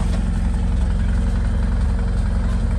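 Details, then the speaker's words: 1978 Ford Mustang 2.3 first long run in decades after aluminum radiator install, temperature okay: fast steady idle with even beat, no dips or stumbles; idle speed too high, needs adjusting down. "I'll be idling too high. I gotta idle this thing down some."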